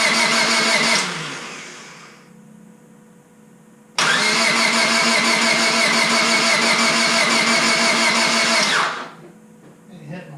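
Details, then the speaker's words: Rebuilt Honda Civic Si, first start attempt after reassembly; fuel pump primes and starting fluid is sprayed into the throttle body: starter grinds steadily for several seconds without catching, stops, cranks again; no spark. "Must be ignition. Yeah, it's not even going at all."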